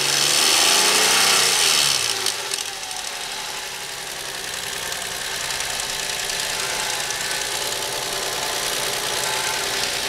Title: car engine rattling - What's this Noise?